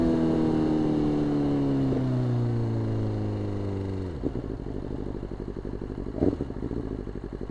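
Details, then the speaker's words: 2020 BMW S1000RR (K67) with Brocktune flash, warming after a cold start: the rev falls back to a choppy, pulsing idle with a missing, stumbling rhythm and big power loss; at least one, possibly two ignition coils failed, the bike's second coil failure. "one of the coils are definely out you can hear it it's kind of hard to hear it when the bike's just revving but big power loss right off the rip"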